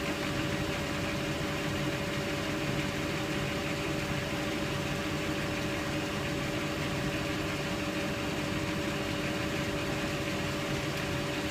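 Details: Bendix Autowasher Electronic 800 7148 washing machine, Cotton 90 plus prewash, 800 rpm, towels load: steady even motor hum at full speed with clear singing tone, rushing air, no knocks or grinding; motor running normally.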